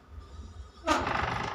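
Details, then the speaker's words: Old barber chair swiveling: a short, sharp creaking squeal and stiff rotation from a rusted, binding pivot joint between the base and the seat. "เวลาหมุนหมุนรอบตัวเองมันสิมีเสียงดังนะครับหมุนไปแล้วมันรู้สึกว่ามันมันฟืดๆนะครับ"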